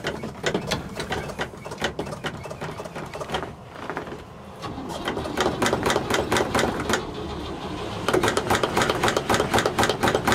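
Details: 1960 C60 truck with a straight six and a leaky, partial exhaust, cold start, pedal pumped. Steady chuffing starter beat of about two per second goes on without catching; extended cranking before it starts.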